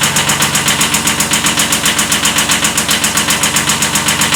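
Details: 1979 Kubota B7100 tractor with a D950 replacement engine (original D750) running: a sharp, very regular knock about four times a second over the small diesel, a slight rod knock from a worn rod bearing.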